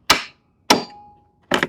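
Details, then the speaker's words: Lawnmower, key turned: single sharp clicks with silence between, no starter whir or cranking; starter solenoid suspected, not confirmed. "Here is your second just clicks sound. This is very, very common. We're talking about a starter solenoid."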